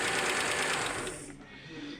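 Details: 1999 Audi A6 2.7 biturbo, 410,000 km, knock from driver-side cylinder head, owner says it grows as engine warms: fast light sewing-machine ticking; valvetrain tick from worn camshaft lobe and hydraulic lifters, found with valve cover removed.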